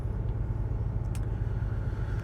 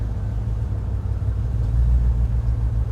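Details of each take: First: Range Rover V8 idling after switching back from LPG to petrol: deep, steady rumble with no stumbles or skipped beats; the misfire on cylinders eight and four stopped on petrol, normal idle, before plugs and leads are replaced. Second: Range Rover V8 on LPG idling just after switching to gas: low, lumpy idle with dropped beats; number eight still misfires after plug check (plug fine, gap slightly widened), so the faulty number eight ignition lead is the cause.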